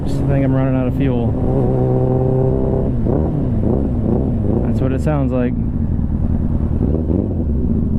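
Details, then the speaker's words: 2001 Suzuki Katana 600 with a gutted, loud exhaust pipe, running just after a new petcock fuel valve was fitted: revs blip then sag and stumble as it bogs and runs out of fuel. "I knew that was going to happen. I'm like, damn man, she's running out of fuel. Fuck. I could just tell she started bogging."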